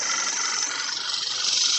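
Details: Audi B8 A4, steady even idle with a smooth hiss; the normal engine clicking comes from the injectors and the purge valve, which clicks faster and faster and then stops.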